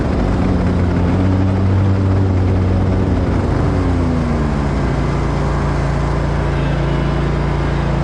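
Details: Grasshopper zero-turn mower with a defective battery suspected of affecting the PTO: a steady low engine drone with a few wavering tones drifting in pitch; the PTO sounds seriously wrong, cause not pinned down.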